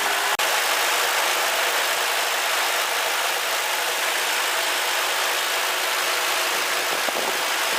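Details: Ford Crown Victoria at idle after Prestone belt dressing sprayed on a squealing serpentine belt: steady even idle, soft hiss, no squeal; temporary fix, belt may still need replacing and pulleys checking.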